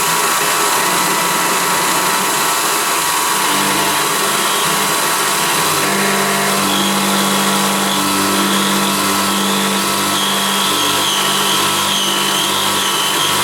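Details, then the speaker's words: CNC milling an epoxy-laminated timber hammer handle at 3 mm step over; loud cutting roar with buzzy tones stepping in and out as the cutter bites deeper; chatter, especially in the deeper section, leaving a rough surface. "it's quite a rough surface that I've got there because I'm using three millimeters step over and it was a little bit of chatter as we were cutting that especially in the deeper section"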